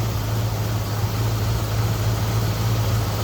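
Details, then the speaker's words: 1968 Ford Ranchero with Old Air Products CAP-200 aftermarket A/C, heard under the hood at idle: steady low hum with an even beat and no clutch clicking. The compressor runs normally, with one line cold and one hot. "So here we are underneath the hood of my Ford Ranchero, and you can see the compressor's working amazing right now."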